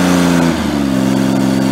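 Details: 1988 John Deere 322 mowing tractor with 38-inch stack, running after carb cleaned of tank sediment: loud, blatty, open single-cylinder exhaust with slight speed dip, sounds like the muffler is blown out.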